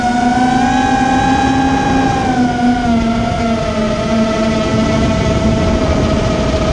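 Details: Immersion Vortex 250 Pro motor test run after trying to fix bad bearing sounds: a clean, steady high whine dips slightly in pitch and holds even, with no grinding or rattle, so the bearings sound fine. One motor is barely warm and the rest feel good.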